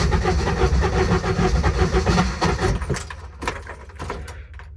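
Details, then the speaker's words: Intimidator diesel UTV hard start after glow plug switch held over 3 seconds: uneven, lurching cranking with no catch and rough whirr between turns; owner suspects glow plugs not working and says the whirr is the Bendix slipping; cause unconfirmed. "that's the issue I have. It's like the glow plugs are not working. And that's the Bendix."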